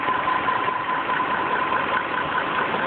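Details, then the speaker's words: 1998 BMW E38 740i at idle, starting up OK but getting shaky and sounding like it might cut off, with a slight knock: a constant airy hiss from somewhere in the engine bay, source unknown. "Engine slightly knocking, shaking, fine. Excuse me. And a little noise, hissing noise"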